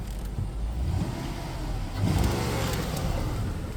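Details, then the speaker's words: 2008 Range Rover HSE back on the road after sitting 7+ years, with new brake pads and fresh oil and filter, recorded near the exhaust: steady, even petrol engine note with a smooth rev rise and no knocks or misses; normal running. "she sounds good I mean the car sounds good I'll get you down here to the exhaust I mean she's rocking and rolling fellas"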